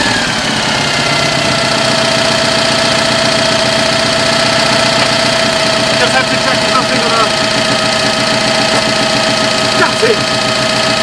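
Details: 2CV-engined handmade three-wheeler barn find, stored 25 years, just revived, close-up recording with a damaged mic: steady, slightly uneven flat-twin chatter at constant idle, no misses or knocks; normal idle.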